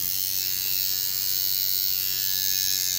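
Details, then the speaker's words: Steeldriver tattoo machine at five and a half volts, a steady, even high buzz with no stutter or drop in pace; running cleanly, still snappy with give in the middle and back end. "still super Snappy off the middle test nice bog in the middle and give on the back end and this machine is flapping pretty good at five and a half volts"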